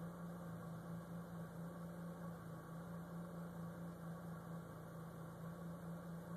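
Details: Completely stock 2010 Mitsubishi Lancer Evolution X at idle: quiet steady low hum that wavers unevenly, shaky rough idle whether cold or hot outside; vacuum lines and intake checked, cause unknown.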